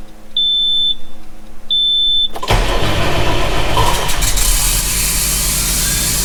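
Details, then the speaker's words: John Deere 6170M diesel, first start after engine rebuild, DPF not yet refitted: two dash beeps, then it cranks, catches and settles into a steady clatter with no knocking or banging and no stop-engine light; healthy. "Okay, no knocking or banging. Whew. No stop engine light come on."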